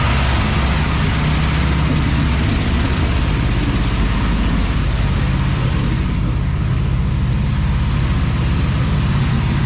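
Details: Cadillac ("Lil Debby") with a deep, steady rumble at even idle, no stumbling or dying, after fuel-system diagnosis of a brand-new but failing fuel pump; no fuel return yet, possible vapor lock suspected; return-style filter to be refitted. Normal idle.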